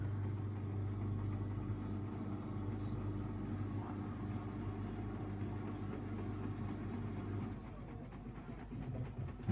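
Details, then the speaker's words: Samsung Ecobubble 8/9 kg digital inverter washing machine, Daily Wash intermediate spin after a redistribute stop: smooth, even low hum with a soft steady motor tone winding down near the end; quiet, well-balanced spin. "Well, you can definitely hear how very quiet it is for a digital to inverter motor."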